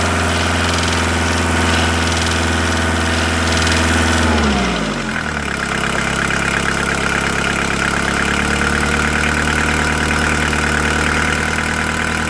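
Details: VW T4 1.9D diesel, ticking appeared after oil change, noticeable at 2000 rpm, first suspected hydraulic lifters: held above idle then dropped, sharp metallic tapping following engine speed; teardown confirmed piston pin knock, overhaul needed.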